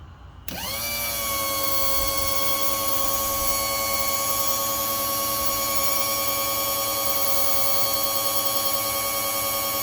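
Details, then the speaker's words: 1961-1965 Lincoln Continental convertible top hydraulic pump, other wire touched to retract the rams during bleeding: the motor spins up quickly and settles into a steady, high, even hum; running normally. "Now I'm going to touch the other wire on the pump to bring the rods back"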